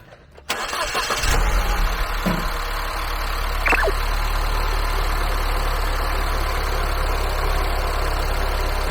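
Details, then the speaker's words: R56 Mini Cooper S, just started: unstable, hunting rough idle that stalls when AC switches on; check engine light, codes 277D and 27759; recently replaced VANOS solenoid valve; slight rattle; owner suspects high-pressure fuel pump and timing chain tensioner. "ご覧の通りちょっとね、エンジンの変な不規則な動きをして安定してない状態になっておりますので、とうとうやばいかなというような状況でございます。"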